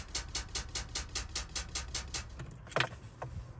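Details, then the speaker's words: Car parked unused for a long time, battery slowly drained. Turning the key gives rapid, even clicking about five times a second and the engine never cranks, because the weak battery cannot power the starter. "thì đây là một trong những các triệu chứng là cái xe nó cho bình điện hết gì nó yếu"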